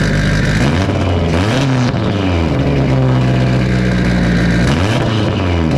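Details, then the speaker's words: Big-turbo cammed Subaru boxer on first start after new headers, no intercooler piping and MAF unplugged: loud revving up and down, never settling to steady idle, rough hunting from a large vacuum leak. "it got a lot of vacuum leak"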